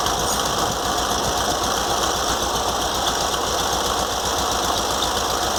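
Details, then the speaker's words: VW Fusca (Beetle) air-cooled engine at idle after spacing the alternator fan from the fan shroud with washers, cleaning the shroud and carburettor: steady high whirring hiss over the engine beat remains, owner suspects a worn alternator bearing. "agora eu tirei também limpei a capela por dentro limpei o treinador e montei de novo para tirar o barulho mas ainda tá um pouco de barulho ainda porque provavelmente é um rolamento"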